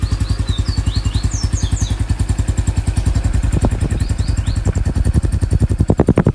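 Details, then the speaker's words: Honda Pop 110 motorcycle: steady, quick single-cylinder putter about three and a half beats per second, even and clean with light valve chatter; the normal engine noise owners ask about, not a fault. "É um helicóptero. É isso. É o barulho normal, pessoal."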